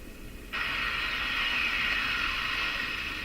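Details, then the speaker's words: Northern Electric Model 8508 tube radio on dim-bulb tester: a loud steady hiss and rush suddenly cuts in over the quiet set; intermittent fault, owner suspects the power switch after spraying fluid into it, not confirmed. "But the radio stopped working and then began making that sound."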